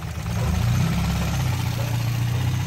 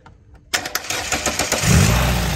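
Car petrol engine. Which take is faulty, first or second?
second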